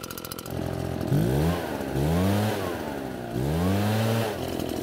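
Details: Almost-new Redmax EBZ8500 backpack blower, prone to flooding, after drying out the flooded engine and using a modified starting procedure: catches and revs up and down cleanly three times, pitch rising and falling smoothly; running healthy.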